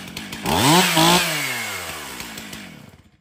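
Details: Stihl MS362 chainsaw, 7 years of hard use, in for hard starting and low power, test after service: snaps to a high scream twice, holds a clean steady note, winds down evenly; runs excellent, also tested cutting hardwood.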